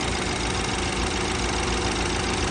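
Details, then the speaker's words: BMW 528i F10 cold start in the morning, before any service: loud rough idle with rattling, knocking edge; noise absent when driven in warm; cause not yet determined; engine noise on cold start. "แต่ว่าตอนตอนที่ลูกค้าขับมาเครื่องร้อนน่ะเสียงไม่ดังแบบนี้นะครับแต่พอตอนเช้าเราอุอ่าเราสตาร์ทเครื่องนะครับดังประมาณนี้นะ"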